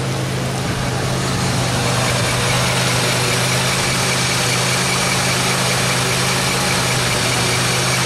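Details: 2003 Pontiac Grand Am GT, wheel spinning, stethoscope probe at the front hub held to the mic: constant low growl with a gritty rumble, steady rather than rhythmic. Worn front wheel bearing, and the suspected hub is confirmed.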